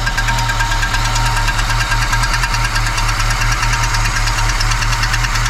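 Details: Volvo 245 DL abandoned 19 years since 2005, first start running on old fuel with brake cleaner; loud engine with a fast, uneven ticking knock over the idle, about two per second, cause unknown.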